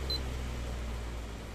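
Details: Miyako 18-inch remote-control fan after servicing the remote control module: one short, clear high beep answers the timer button press over a quiet motor hum. The timer responds normally.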